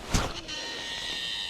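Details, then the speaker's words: Ozark Trail baitcaster reel on a powerful cast: a whoosh, then a thin, steady high screech as line pays out; short, smooth casts do not make the sound; cause unclear. "we don't want to make that screeching sound that sounds like a broken record so I don't know what's going on here but definitely not efficient"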